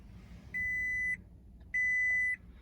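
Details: 2006 Toyota Tacoma 4WD with suspected bad starter (clicking, no crank), after cleaning battery terminals; two clean high beeps a second apart in quiet cab, key-on chime normal, showing battery powers the electrics.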